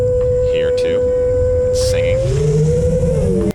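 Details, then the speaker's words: FPV quad without gyro low-pass filter and with relatively high PIDs: loud, pure tuning-fork tone near 500 Hz, bending with throttle through a turn, mid-throttle motor resonance; fixed with static notch centered 465 Hz, 445 Hz cutoff. "as i make that turn like that it's like a tuning fork it's kind of crazy"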